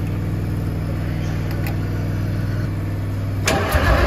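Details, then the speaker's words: 1972 Freightliner cabover diesel, first start attempt in 27 years, smoking with injector lines cracked: steady starter cranking about four beats a second, turning over well, then a sudden rough roar as it briefly catches without starting cleanly. "It's turning over good, too. All right, turn it over. I'll give her a little juice."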